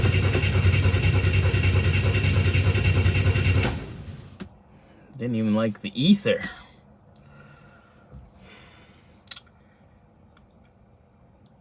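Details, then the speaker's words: 1962 Chevy II after a new ignition coil, fuel tank and lines new and clean: starter churns steadily almost four seconds with no fire. The brand-new fuel pump proved weak with the feed pulled off the carb. Crank, no start. "okay I have pulled fuel feed off the carb I'm just gonna hit the key see if it shoots fuel pump's weak it's a brand new pump too"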